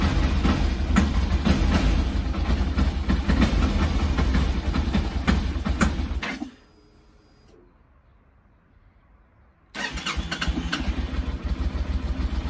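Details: Yamaha TDM900, known problem of jerkiness and stalling at low revs with light throttle at idle, before throttle body cleaning: steady low idle thrum dies abruptly around six seconds, then restarts.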